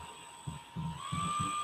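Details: Electric ducted fan spun just above idle during live balancing with tape added at a reference line on the spinner; thin whine climbing with spin-up over a low buzzing throb about three times a second: ducted fan rotor imbalance vibration.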